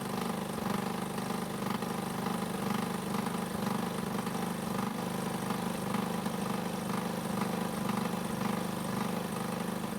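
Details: Honda walk-behind mower with years of neglected maintenance: small single-cylinder engine running steady with an even beat and light rattle; smoke on startup blamed on oil past rings after tilting the mower.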